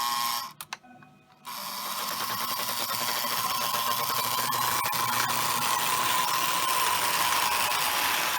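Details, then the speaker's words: Overhauled Lionel 682 turbine locomotive after repairing a short where the main pickup roller connection touched the frame; small motor whirs steadily with light e-unit buzz, running smoothly in reverse on 4x8 layout. "so let me put it in so the e unit works which you will hear more the buzzing of the unity unit when it's working now now be reverse"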